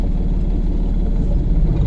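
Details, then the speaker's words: Manual car idling in first gear during a driving lesson: steady low engine rumble that sags slightly and vibrates as the clutch is slowly released to the biting point; hold the clutch exactly there, since going past that sound stalls the car. "ఆ sound దాటింది అంటే car బంద్ అవుతుంది. అర్థమైందా? ఈ vibrate అయ్యేది vehicle vibrate అయ్యేది అర్థమవుతుంది కదా."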